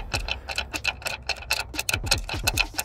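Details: Land Rover Discovery Sport L550 2.0 TD4 Ingenium diesel after loss of power, restricted performance warning and cut-out: dry, uneven ticking and scraping as the damaged turbocharger compressor wheel is turned by hand and rubs its housing.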